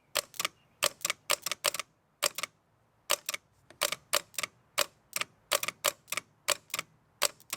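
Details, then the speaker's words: Late-1980s/early-1990s Massey Ferguson 50H backhoe, Perkins 4-cylinder diesel, removed starter with broken one-piece nose housing bench-tested: sharp dry clicks in uneven bursts, solenoid throws but motor never turns; needs new starter. "Let's test this thing real quick. So the Bendix kicks out, but it doesn't, the starter motor doesn't turn."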